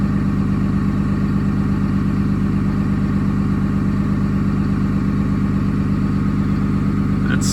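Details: Early 2007 Ram 3500 5.9 Cummins diesel, G56, 326,000 miles, cold at 31°F, on automatic factory high idle during warm-up, EGT around 650°F; steady, even clatter at raised constant speed, no misses or knocks, healthy.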